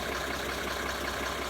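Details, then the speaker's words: 1980s Mercedes-Benz diesel after rebuilt, pop-tested injectors: quiet even idle with steady low beat, no misses or knocks; no white or black smoke; repair successful. "one smooth hurt and more importantly there's no smoke these are white north or black little bit of gray is okay but we got it got it fixed had a success"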